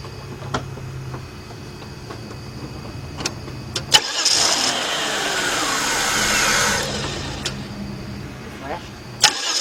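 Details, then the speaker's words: 1993 Chrysler LeBaron 3.0 that cranks but won't start. Starter spins with no catch; the fuel pump is not pumping. "all right so we definitely know how fuel pump is definitely not pumping"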